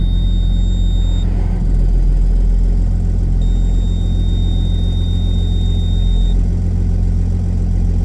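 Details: Case STX375 tractor, repaired and driving: deep, steady, unbroken rumble under a faint high whistle; runs and drives smoothly, though it still won't shift into 13th gear or higher pending a solenoid.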